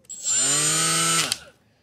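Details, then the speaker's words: Milwaukee M12 die grinder with an unbalanced Roloc disc attachment: a shrill, loud, buzzy whine with a rough edge as it spins up, with heavy vibration and visible wobble from the out-of-balance disc. "I only call them piece of crap because they're not balanced they grind stuff really well"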